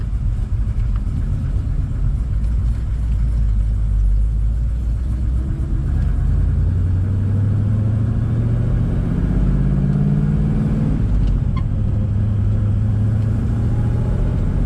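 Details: 1979 Camaro Z28 V8 on test drive, heard inside the car, after replacing the Pete Jackson gear drive with an Edelbrock Performer double-roller timing chain; owner suspects a rocker may be a bit loose. Low, even rumble swelling with speed, no gear whine. Normal running.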